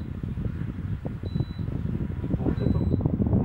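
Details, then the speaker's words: Electrolux EACS-07HAT/N3 non-inverter air conditioner, indoor unit on maximum fan setting while cooling: steady low airy rush, even, no rattles or scraping; normal operation at maximum fan speed. "такую прохлада подает сейчас давайте послушаем максимальном режим работы"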